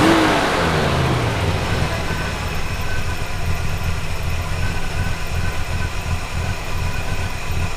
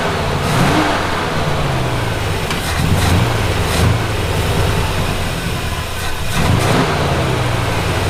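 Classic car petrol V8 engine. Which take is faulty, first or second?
second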